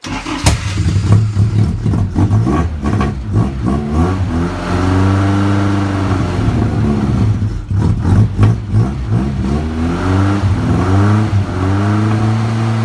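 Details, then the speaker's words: Car with a geared starter, not started in a few weeks. The cold engine catches and revs unevenly, the note surging and sagging. It runs rough from cold, and the cold-start issue was never sorted. "Got a geared starter motor, so it does help even with a flat battery. Never did sort out the cold start"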